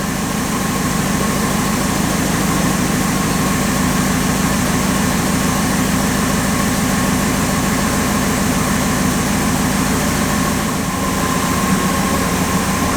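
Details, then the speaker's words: 1962 Ford Thunderbird Landau that sat for several years, running again after fuel-feed troubleshooting: a petrol V8 idling steadily with an even, deep exhaust pulse, no knocks or misses. A whistling was noticed later. "And we're running. You just never know when you get in these things what's going to happen."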